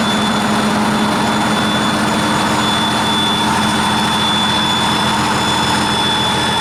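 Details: 1959 Caterpillar D337F diesel genset, about 959–960 hours, long stored in a barn, first run after revival, no load, barely up to operating temperature: steady even drone, no knocks or misses; runs well unloaded.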